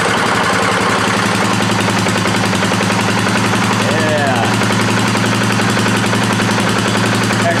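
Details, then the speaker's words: 2018 Polaris Sportsman ACE 570 single after rebuild following mud flooding, first start: loud, steady fast thumping with even low hum, no knocks; sounds healthy, a little moisture still in there. "sounds pretty good. Little bit of moisture still in there. That's good."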